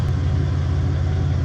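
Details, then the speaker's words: 2001 Toyota Tacoma 3.4 V6 with Flowmaster 40 series, warm idle after JB Weld repair of exhaust weld leaks: steady, low, even rumble, more muted, no puffing or ticking; sounds sealed, normal. "But I still think it sounds really great when you fire it up. Like I said, definitely a lot more muted, but still sounds great."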